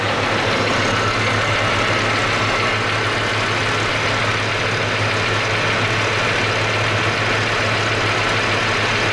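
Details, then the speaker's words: V10 at idle: steady drone with busy top-end clatter, louder on the right side; owner suspects valve train or rocker noise, not yet confirmed. "To me it sounds like valve train, you know, but I guess the guy would have to dig into it a bit to find out what's going on. And it actually sounds louder on the right side than it does on the left side, so I'll move over there."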